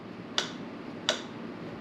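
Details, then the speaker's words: Honda ATC 70 three-wheeler, engine off, before first start attempt. Three crisp clicks as the throttle is released: the carburettor slide snapping shut properly, so no runaway on startup. "Hear that clicking? That's actually the slide coming down, closing the throttle. It's very important that that slide comes down."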